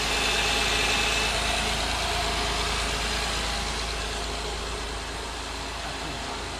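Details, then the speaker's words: A 2009 Honda Accord V6 idling just after its alternator was replaced: a smooth, even idle with a steady hum and no misses, knocks or belt squeal, running straight and healthy. "so it looks good when I'm pretty straight oh yeah it's running really straight"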